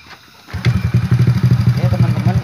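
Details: Honda Supra Fit motorcycle that died after getting wet from washing or rain, started after the wiring was redone and wrapped; catches and settles into a steady, even single-cylinder idle putter, about ten pulses a second; normal healthy idle.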